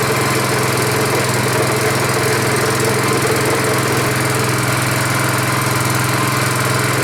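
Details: Rebuilt Honda 5.5 HP single-cylinder engine, first start after rebuild with choke on: low, even idle with steady thrum, lower than another engine's, no misses or knocks; normal idle.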